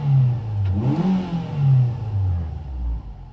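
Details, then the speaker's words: 2006 Ford Fiesta ST 2.0L, exhaust awaiting welding: the engine blips up cleanly a few times and revs fall back to idle promptly and smoothly, with no hesitation or misfire. A normal rev and return to idle. "revs come down at a nice speed it's got a nice babel as well"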